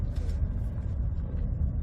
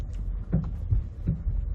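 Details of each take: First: Ford, after repair (front end tightened, stabilizer link nuts cleaned, Loctited and replaced with new self-locking nuts), turning: only low tyre and road rumble, no clunks or knocks; front suspension quiet. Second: Ford, driving and turning into a parking lot on smooth road: loud, dull metal-on-metal clunks up front, seemingly passenger side, mostly while turning; worn or loose stabilizer bar end link, no steering rack needed.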